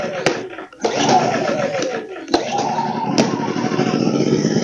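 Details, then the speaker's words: One-year-old WEN 2000 W inverter generator, warranty no-start fixed by cleaning clogged spark arrestor: starting on choke it catches, sags and nearly stalls, then recovers to steadier running; cold, left to warm up. "there we go baby choke it out no no no don't die on me God damn"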